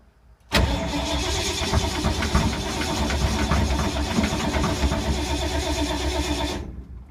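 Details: 1952 Ford, sat for months in rain, possibly flooded, battery tiring after about five minutes of cranking: steady starter churning for several seconds with no firing; cranks, won't start, owner suspects points and condenser or no spark.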